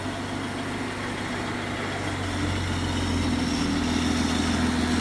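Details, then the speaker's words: 1940 Plymouth woodie wagon coming to life after the wiring was connected: the engine catches and settles into a smooth, steady low idle with an even beat and no knocks or misses. Idle is normal. "Oh, baby, she's a runner. The fuse is lit. Them wires connected means something."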